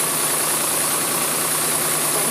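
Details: Jaguar AJ30 (Duratec) V6 swap just restarted after five to six weeks dormant, reworked exhaust manifold smoking, hoped to be grease burning off: steady, even idle under constant hiss, no knocks or misses; healthy.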